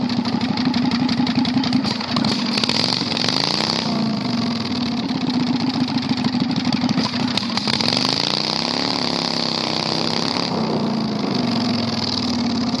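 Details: 670cc Predator V-twin go-kart after carburetor fix, on test drive: very loud, raw crackling bark rising and falling with throttle, no muffling; straight open exhaust.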